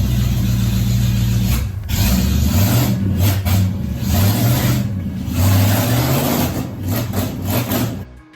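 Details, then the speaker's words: Engine that is somewhat hard to start, running with no exhaust fitted (the frame needs fixing before the exhaust goes on): a raw, very loud unmuffled open-port bark with uneven blips and a lumpy idle. "it does have a bit of trouble starting i got it fired up and it's super loud because i'm"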